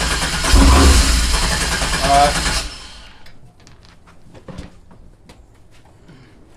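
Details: 1987 Fiero GT with swapped 3800 supercharged engine: catches and roars for a couple of seconds on starter fluid, then dies; no fuel, so fuel starvation.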